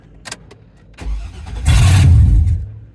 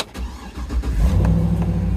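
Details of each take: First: Auction truck: a short crank, then a loud, deep, rough roar on startup. It runs, but the exhaust is clearly not connected. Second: Truck at auction, previously dead, now has power: brief crank, quick catch, smooth even low V8 rumble settling into idle, likened to an old Tahoe; healthy start, with brake, check engine and tire pressure lights on.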